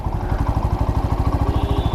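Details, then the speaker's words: Black Panther motorcycle after service, engine fully warmed up: even low thump at about eleven beats a second, no ticking or clatter; earlier engine noise gone, engine now quiet. "आवाज में फर्क है रे बाबा। आवाज में फर्क है। मतलब जो आवाज पहले आया करती थी ना वो अब नहीं है। तो इंजन जो है साइलेंट हो चुका है।"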